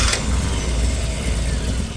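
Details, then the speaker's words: Classic Mini Cooper with new high-torque high-RPM starter replacing the old Lucas inertia starter: quick, strong, even whirr spinning the engine, no grinding or hesitation; normal healthy starter cranking. "here I'll do it again ready now that is a good sounding starter"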